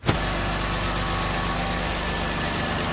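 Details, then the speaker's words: Mercedes E320 W124 convertible, M104 six-cylinder, long-sitting non-runner, after fuel pump relay and module replacement: loud, uneven idle with a steady low knock; cause unconfirmed, sitting suspected; rough running with knocking. "so it still doesn't run smooth if you actually ask me there's still some knocking going on but i guess the car has been sitting forever"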